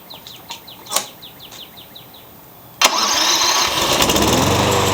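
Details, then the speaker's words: Curb-found electric-start mower, fitted with a new battery, a replacement for its blown fuse and electrical fixes: cold start, catches first try and settles into a steady even run; runs beautifully. "The only thing I can think of is the electric start didn't work and he thought it was garbage. But it runs beautifully."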